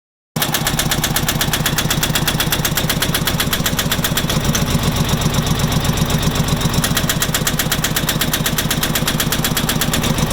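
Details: Farmpro 2425 tractor diesel idling with a sharp, steady engine knock, about four hard raps a second.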